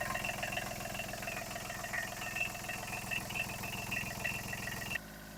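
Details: Kubota B7001 tractor diesel after replacing failed alternator that caused metallic noise, smoke and belt squeal, plus new radiator hoses and G11 coolant: steady, even idle with fine regular patter, no metallic scraping or squeal; smooth.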